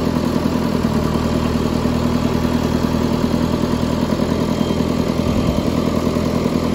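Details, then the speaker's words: Twenty-plus-year-old John Deere 555 bulldozer, long unused, just started: steady diesel idle with even beats about two and a half per second, no misfires or knocking; normal idle. "all right guys so there we go we got it to start that was insane"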